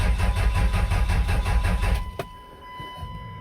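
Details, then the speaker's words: 5.9L 24-valve Cummins, water-contaminated fuel found earlier: two seconds of steady cranking at about three pulses a second, no firing; scanner shows 110 rpm cam, 0 crank, suspected crank sensor or its three wires. "Okay, so I got 110 on the cam, and I got 0 on the crank. So I think either the 3 wires going down to the crank sensor, or the sensor itself has crapped out."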